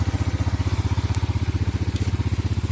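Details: Yamaha Mio Sporty scooter, whose no-start and stalling is attributed to an intake manifold hose that pulls off while running: steady, even putt-putt at about ten beats a second with no misses at idle; normal running.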